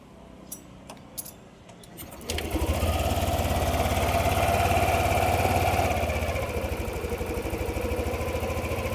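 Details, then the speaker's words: Yamaha NMAX 155 V2 with hard starting, low idle and stalling, restarted after refitting the stock idle speed control valve to the throttle body. First start idled normally, second start idle surges up and sags unevenly; idle control valve sticking. "Kung mapapansin niyo, sa unang start, normal naman ang idle. Right after ko magpalit ng IEC. Pero nung pinaandar ko nga ng pangalawa, o kakaiba na."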